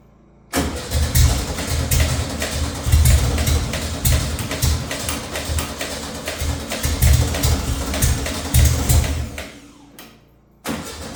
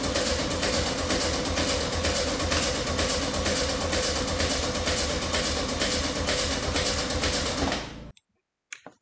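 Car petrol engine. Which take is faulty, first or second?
second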